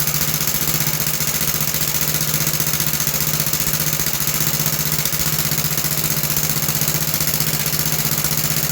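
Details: About 66-year-old 1960s English Suffolk single-cylinder engine after carb clean and new plug wire: even steady beat near four firings a second, no misses or knocks; runs healthy, though a rattle is noted in the starting mechanism.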